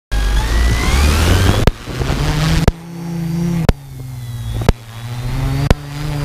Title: strange noise from go pro and quadcopter